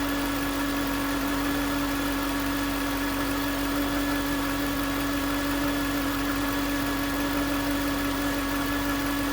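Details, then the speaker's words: 2009 Range Rover Supercharged 4.2 at idle: steady fairly low whine, first suspected as supercharger, pinpointed with a mechanic's stethoscope to the alternator housing; alternator replaced. "It was obvious that that's where the whine was coming from."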